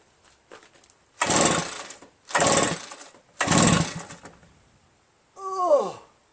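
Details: RedMax EBZ8050 commercial backpack leaf blower, reassembled from pieces, on choke with throttle mid: three pull-start bursts about a second each, engine turning over but never catching, then a falling whir. Fuel, spark and compression checked, piston looks perfect; owner suspects carbon-stuck rings causing low compression.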